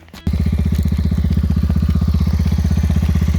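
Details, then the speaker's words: Honda four-wheeler single cylinder, cold start at about −10 to −15°, after neutral switch fix and oil top-up, started after about 30 cranks: quick, even thump about thirteen beats a second, no misses; healthy idle. "So everything works good, works fine. Running, ready to go."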